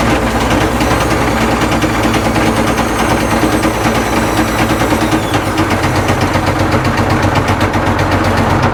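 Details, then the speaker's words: Caterpillar 977L track loader diesel, cold day, started only with ether after fuel pump troubles, runs loud with a hard, uneven hammering knock throughout; knocks horribly and sounds badly worn internally, though oil pressure is good. "you guys can probably tell It just knocked absolutely horribly"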